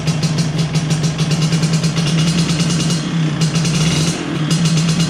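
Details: 1983 Vespa PX125E first start after full restoration, rebuilt engine with new crankshaft, 177cc cylinder kit, new bearings and clutch discs: crisp two-stroke buzz, steady low drone with light throttle blips, even and clean. Normal running.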